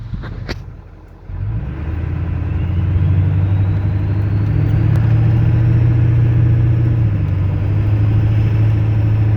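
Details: 1996 Ford 7.3 Powerstroke diesel: as the revs rise, a faint thin dash chime climbs in pitch above the engine clatter, following rpm.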